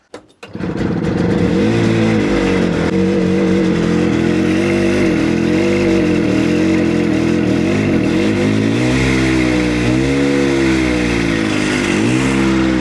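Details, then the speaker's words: 1970 Willam Fourgonnette micro van, 125 two-stroke, first start after 20+ years parked: fires after a couple of tries, then buzzy, slightly uneven, smoky idle from extra oil, idle speed low; engine start and idle. "Yes! It's even going to idle. Nice and smoky. That's to be expected with all the oil I put in there."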